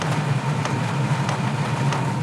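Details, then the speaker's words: 12V/24V/240V all-in-one diesel heater, freshly lit after glow plug and fuel pump start, no exhaust or silencer fitted, mic brought close: steady low pulsing rumble with faint periodic ticks; normal combustion. "i can hear it's light now i am bringing the microphone into the noise you can hear it lap"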